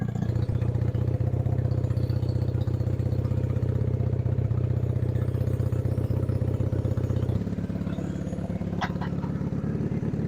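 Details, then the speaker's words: Honda CB175 twin, warmed up after choke use, around 45°F ambient, earlier popping heard on the left side; settles into an even, steady idle with smooth low beat, no knocks or rattles; normal idle. "I'm pretty pleased with this. This is running great."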